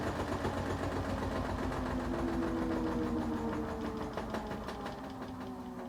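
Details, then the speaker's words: LG WT1101CW top-load washer after fix for IE error with drain pump running continuously: even motor whir with soft gliding tones fading away; running normally. "and there's that noise we've all grown to love and hate simultaneously"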